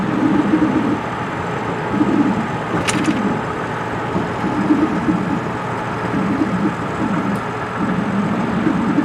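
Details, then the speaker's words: Ford Super Duty pickup at highway speed: over road noise a low droning growl swells and fades every couple of seconds, appearing once up to speed and fading below about 30 mph; worn front wheel bearing. "And once it starts making the noise, it uh it pretty much stays with it until you slow down. Once I get below 30 m an hour, the the noise kind of go kind of goes away."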